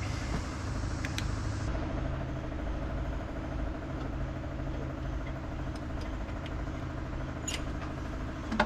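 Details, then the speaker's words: 1963 Corvair air-cooled flat-six after adjusting the rockers, resyncing the carbs and rechecking timing: steady low rumble at a lumpy fast idle that won't settle. The two chokes are out of sync, with one held and one wide open. "feel like we're getting the same results and now we've messed with everything dang it"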